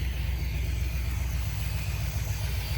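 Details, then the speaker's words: 1976 Corvette C3 V8 after carburettor rebuild: deep, steady rumble with an even beat and no misses, knocks or hunting; a clean, healthy idle. "Looks good, sounds good, nice and clean, running really well."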